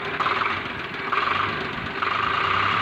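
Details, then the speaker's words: Swaraj 735 tractor diesel engine revved: a rapid metallic knock rides over the clatter and quickens with revs, as if something inside is loose and striking. Smoke is fine. Cause not yet found; the mechanic plans to dismantle and check. "इसमें ऐसा लगता है कि कोई चीज अंदर तक चोरी हो"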